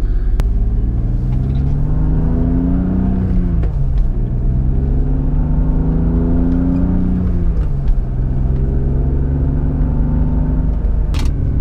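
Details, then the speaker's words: BMW E36 M3 driven over bumps and potholes after tightening a loose collar: steady road rumble, revs through the gears, dull thumps only; the earlier higher-pitched knocking is gone. "Escalade all right here's some more bumps coming up don't really hear anything oh yeah all right I think we had some success here"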